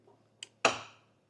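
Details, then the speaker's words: Land Rover Series 3 being restored and dash rewired: a single sharp solenoid clack with no cranking, as the starter solenoid engages but the starter does not turn. The starter had earlier arced out and is no longer arcing. "I can hear the solenoid clicking, but I can't see anything on the starter at all."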